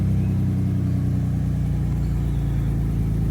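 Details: Car after Tiida alternator conversion, first start on new battery: steady even low idle hum with no misses, knocks or whine; runs normally and battery light goes off.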